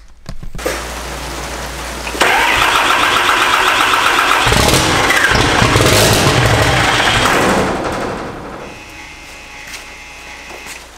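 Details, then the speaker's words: 2000 hp Cummins diesel build, first start with fuel likely still priming through the pump and AirDog: cranks, catches and runs loud but choppy and uneven before dropping off; better than before but still rough, cause unknown. "if you listen to it it is running better still not the way it's supposed to be"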